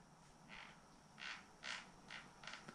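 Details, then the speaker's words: Trek Remedy 8 XT 2022 mountain bike after fresh grease stopped a knocking: five short, dry creaks from cable housings rubbing against each other. "tego stukania już nie ma jedyne co słychać to dźwięk pancerzy które o siebie trzeszczą"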